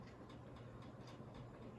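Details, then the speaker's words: 42-inch Synlix ceiling fan after cleaning, loose bottom piece taped on threads, at higher speed: light regular ticking a few times a second over soft hum; owner thinks bottom piece makes the noise. "what i did was with the threads i put a piece of electrical tape around it and that seems to be seemed to work and it makes weird noise i don't know why let's crank it up okay so yeah i think it's that bottom piece that makes that noise"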